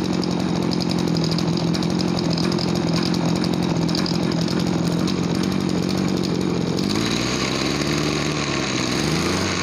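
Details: Farm backpack sprayer two-stroke engine after carburetor cleaning and air-screw adjustment, previously bogging with no power on throttle: buzzes at steady high speed without stumbling, settles lower smoothly; running normally.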